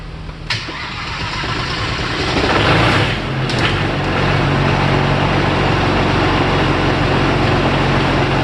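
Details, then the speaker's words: Audi TDI diesel in the Raptor prototype with a new reduction drive, after its flat battery was jump-started from an Audi S4: the starter cranks briefly, the diesel catches and settles into a steady, even idle; a clean healthy start. "jumped it straight off my car and that that ended up giving us plenty of juice to fire it up"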